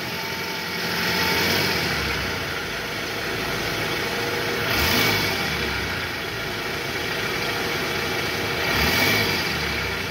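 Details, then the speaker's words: 2008 Toyota Harrier, about 185,000 km, AC on, in reverse: three clean throttle blips settling to idle with no rattle or roughness after replacing the worn tensioner and loose balancer shaft; engine much smoother. Normal revving. "Gas Gas tahan Oke Guys suara mesinnya sudah jauh lebih halus ya sekarang Coba kita dengar dari samping gas lagi"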